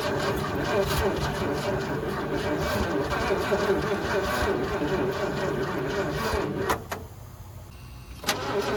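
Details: 1979 Ford F100, sat ten years, run on temporary fuel line with jumper battery: catches and runs but uneven lumpy idle, staying lit only with choke almost fully on, then shuts off.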